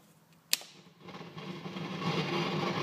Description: When I switch my amps on, wait some minutes to head up, and turn on standby I get crackling, popping noises that gets louder and louder until I'm forced to turn off the standby/amp.